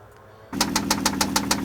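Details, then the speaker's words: Toyota Land Cruiser at idle, stethoscope probe high on the cylinder block from underneath, picks up sharp regular knocks about five per second; deep engine knock, cause unclear. "we're gonna give him the stethoscope and let him use that and get that probe up high on the cylinder block and see if he can isolate that noise a little bit more"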